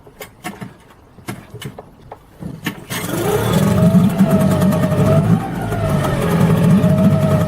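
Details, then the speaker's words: Tohatsu M5B 5hp two-stroke outboard pull-started after a new water pump impeller was fitted and the gear linkage adjusted; sharp pull-start clicks, then it catches and settles into a steady buzzy run with slight rising revs, running normally. "Let's fire it up, see if it runs okay."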